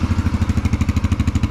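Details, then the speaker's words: 2022 Yamaha TTR-125 air-cooled single after installing a Tusk cold start jet kit, first start, choke disengaged: quick even putter around eight beats a second holding steady, no stumbling; clean healthy idle. "I'd say it works pretty good. I'm actually pretty impressed. I do believe first start, it started right up. Idling perfect."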